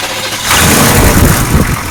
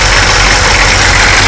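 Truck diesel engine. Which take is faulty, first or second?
second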